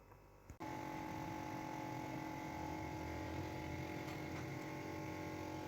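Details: 2006 Honda City automatic after fixing loose parts that caused misfiring and poor pickup: engine catches after a brief crank and settles into a steady, even idle with no misses; normal idle after repair.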